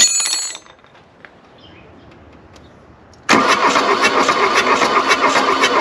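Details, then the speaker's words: 1979 Mk1 VW Rabbit diesel, long abandoned in the woods, cold at 40 degrees, glow plugs jumped: starter cranks in steady pulses with an odd weak catch, one cylinder kicking, but it won't start; owner suspects burnt-out glow plugs. "oh it's so close you got to remember too it's 40 degrees out here so that doesn't help and all of those glow plugs are probably burnt out too"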